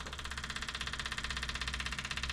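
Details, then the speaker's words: 1978 Chevy Camaro drag car being converted to Holley Sniper EFI 2, powered from a jump pack: the fuel pump, just reconnected, gives an even rapid buzzing whir with no engine running. It is priming normally and fuel arrives. "Let's see if fuel pump will come on. There we go. I hear it clicking and clacking."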